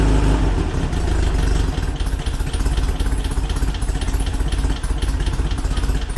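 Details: 1968cc VW Split Bus flat-four, upgraded from 1904cc with 92 thick-wall barrels, SuperStock 37/32 heads and Weber carb upgrades: a quick start, then a loping, steady idle with an even putter through the muffler, sounding healthy. Normal idle.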